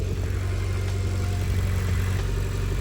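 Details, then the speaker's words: Mitsubishi Evo X after turbo install and correct exhaust gasket fitted: steady even low idle rumble while warming up, no ticking or puffing, with no more exhaust noise coming from the front dump tube; leak fixed. "if we go out to the front I no longer hear the exhaust noise coming out of the dump tube which is awesome I really really love the way it sounds"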